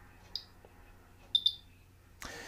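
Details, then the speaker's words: Zone Master II enlarging exposure meter in timer mode, counting down after a four-second delay: crisp high-pitched electronic ticks about a second apart, an optional second-count reminder; normal countdown tick. "and the ticking noise you can hear is again another user option where you can get it to remind you the second count as it goes down"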